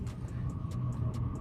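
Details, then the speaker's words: Brand-new diesel heater just fitted in a VW T4, running hot for several minutes with the exhaust still dangling: low steady combustion roar with a soft, even tick about five times a second from the fuel pump; not very loud, running normally. "It's still dangling down, so it's nice and hot, but it's not really that loud actually."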